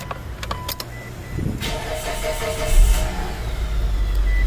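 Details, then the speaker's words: 2011 Mitsubishi Eclipse 2.4L after its belt was refitted and coolant refilled, first start after sitting: a few clicks, short crank, then a steady, even idle with check engine light on; normal start. "We do have a check engine light on. Seems to be idling pretty smooth."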